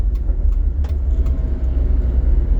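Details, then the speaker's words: Wuling Formo S 1200cc van cabin while driving fast: heavy low droning hum growing louder with speed, with faint light rattling clicks; hum and rattle attributed to the driveshaft, cause not confirmed. "Suara dan dengungan poros, ya. Bunyi berderak dari poros terdengar jelas, begitu juga dengan suara dengungannya."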